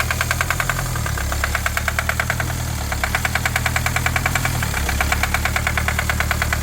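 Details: 2020 Kia Sportage at startup: a sharp, regular ticking knock of roughly ten to twelve per second over a lumpy, shaking idle. The engine is knocking and running rough; the cause is undetermined, and the engine was later disassembled.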